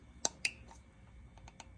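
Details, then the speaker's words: Holley Sniper EFI throttle body with idle quality issues: sharp metallic clicks as the rear throttle blade, opened slightly, wedges into and snaps out of its bore; fixed by setting the idle stop screw against the arm. "I don't know if it comes out on camera, but it basically gets wedged in there."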